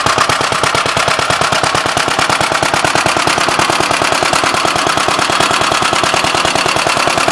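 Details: "Big Blue" 53 L single-cylinder engine after a plate patch on the cylinder, outside on a windy 24-degree morning: crisp, even beat of roughly ten firing pops a second, steady with no misses. The oil pump leaks.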